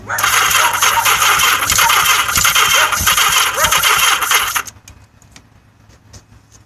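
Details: Yamaha XS1100 motorcycle cranks rattly at nearly four beats a second for several seconds, then silence, never catching; crank no-start attributed to a weak battery and an "octy" installed incorrectly.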